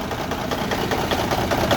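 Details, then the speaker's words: Cummins N14 Celect Plus diesel truck engine at idle: rough, uneven rhythm with a dull knock, a dead cylinder from a blown number 5 injector, found by unplugging injectors; owner says it's not that bad, with no visible smoke from the stack. "And well, I done had blew an injector. I don't know if y'all can hear it on the Cummins N14 Select Plus. It's not that bad."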